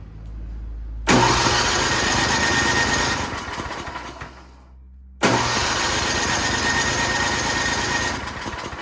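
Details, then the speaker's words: Toro Power Shift 824 snowblower, oiled, fuel on, rabbit throttle, full choke, primed: two long pulls of rough turning over that die without catching; cranks but won't start. "Today we're working on a Toro Power Shift 824 snowblower. It will not start."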